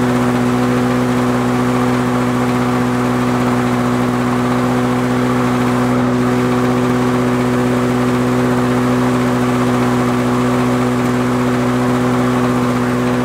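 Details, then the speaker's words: Lawn Boy 4651 two-stroke mower from the eighties, first start after about six months in a storage shed over winter: steady, even high-pitched drone at full throttle with no misses, surging or knocks; it runs clean and healthy. "so I reckon that runs quite well considering its sat in the bloody storage sheds for I don't know six months or so"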